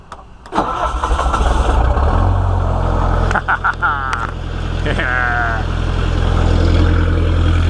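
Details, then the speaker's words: Bobcat 1600 wheel loader diesel, first start by key after rewiring, glow plug relay working: brief crank, then it catches and settles into a steady, even idle that firms as it warms; starts fine. "all right so now it starts by the key very cool"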